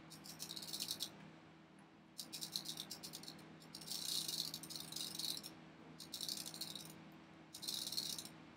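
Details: Automatic transmission one-way device of the ratcheting type: bursts of quick, bright ratcheting clicks each time it is turned by hand, freewheeling normally in its free direction.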